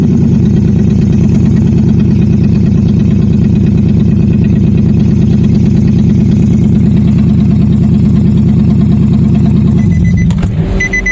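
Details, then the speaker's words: Nissan Xterra with crank-no-start, no-spark fault, after installing a replacement camshaft sensor: steady, slightly uneven idle; cam sensor fault code still shows, so the sensor is judged bad. ">> Didn't work. Didn't work. It's still showing the fault."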